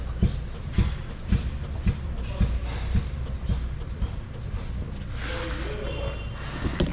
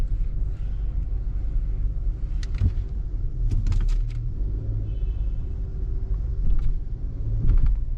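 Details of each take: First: 2019 Hyundai Santa Fe, right rear, car rocked by hand: dull thud about twice a second, more obvious when driving over bumps. The shock absorber is worn and leaking. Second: 2019 Hyundai Santa Fe after replacing leaking right rear shock absorber that made rear-end noise, test drive over a small bump: low road rumble, soft thumps, no clunk or knock; suspension quiet.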